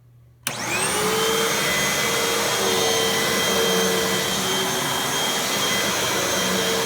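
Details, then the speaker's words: Bagless Hoover WindTunnel upright vacuum after belt change and service, running on setting 3: sharp start, then steady even roar with a clean high whine and no rubbing or slapping; normal running. "But let's plug it in and let you guys hear how it runs. And we'll do it at the number 3 setting."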